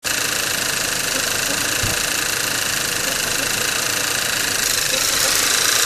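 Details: Skoda Octavia 1.8 TSI, engine built February 2012, 17,000 km mostly highway, no oil consumption: a steady hissy shuffling noise over the warm-up idle that rises in frequency over time. It appears cold a couple of minutes after start and lasts 3-5 minutes.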